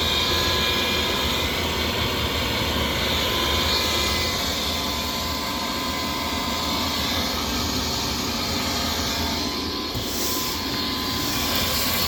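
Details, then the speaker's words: Rheem furnace before repair: the old inducer motor makes a loud, steady roaring hiss with a harsh high edge. It is extremely noisy but the unit still works, so the motor is being replaced. "This customer had a Rheem furnace, and the inducer motor was like extremely noisy. The unit was still working, but we recommended replacing the inducer motor."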